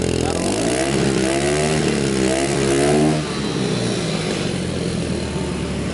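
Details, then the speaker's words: 2003 Kawasaki KLX110, freshly rebuilt, with cleaned carburetor, fresh gas and new spark plug, revved in neutral; pitch climbs and falls smoothly with throttle, no misses or rattles; sounds good, though owner notes weak low-end pull when riding. "sounds good"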